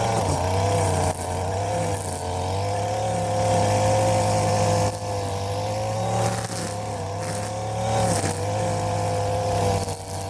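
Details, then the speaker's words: Stihl FS 56 RC two-stroke trimmer after running 20:1 fuel instead of 50:1, with cleaned muffler screen and spark plug, warm: steady buzzy drone with small speed rises, no misfire or stumble; normal running. "All right, once it warms up, it's supposed to start with one pull. Let's give it a try."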